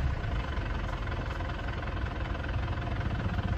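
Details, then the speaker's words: Panther diesel from Mesuji Lampung, after second engine rebuild fixing heavy smoke, blow-by and rough tapping: low, steady idle with even rumble, no knocking or misses, noticeably smoother; normal idle. "Sudah bisa dirasakan suaranya lebih halus."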